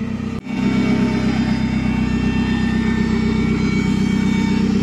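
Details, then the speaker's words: Commer van with Saab 2.3 turbo, about two years on road, old fuel pump already replaced once for noise: thin steady high-pitched whine over even idle, unchanged with engine speed; horrendous fuel pump whine. "right I just got the camera and the reason I'm doing some work to it is that horrendous wine"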